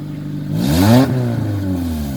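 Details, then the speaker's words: Honda Accord (CG) with a stolen catalytic converter, after an exhaust repair: petrol engine blips with a raspy puffing edge. It is quieter than before, but a leak remains, probably a hole rubbed in the flex pipe. "still have an exhaust leak but yeah um I bet you it's your Flex bite from rubbing probably put a hole in it"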